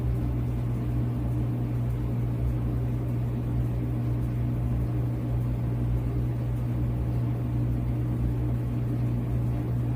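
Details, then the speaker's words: Whirlpool dryer, about 2018, after repair to cure squeaking: smooth, steady low hum with even drum rumble, no squeak, scrape or knocking; normal running. "It's very quiet and smooth. Very quiet. Very smooth."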